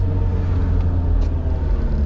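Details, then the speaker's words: 2011 Toyota HiAce van driven at steady modest speed: low, steady droning rumble under road noise; suspected front wheel bearings or rear differential, not confirmed. "you hear that can you tell me what that noise that's the front wheel bearings or the rear actual dip"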